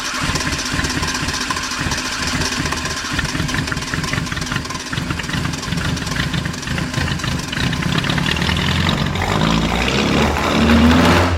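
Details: Fiat 127 petrol four, first start after a 5-month rebuild: catches and settles into a slightly lumpy idle, then revs up smoothly and drops back; runs fine.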